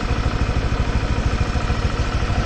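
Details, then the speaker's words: Honda Vario scooter with oil consumption and oil leak, warm after revving: steady heavy clunking knock ("kemplotok") under idle from the engine bottom end, crank and con-rod wear; CVT to be removed to check source. "Suaranya kemplotok, guys."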